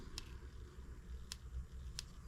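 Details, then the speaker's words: Spark check on a new M25 sideshaft engine that had sat under a workbench, before fuelling and first start: three sharp, crisp snaps about two-thirds of a second apart; ignition present. "you guys hear it oh we got ignition so put our boot back over it make sure our switch is off"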